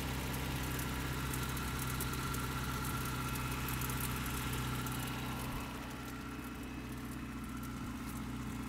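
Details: Toyota 4Runner 22RE, cold start and rev on 5W-30 oil: steady ticking knock about four per second over the engine note; owner suspects timing chain and/or rod knock, unconfirmed.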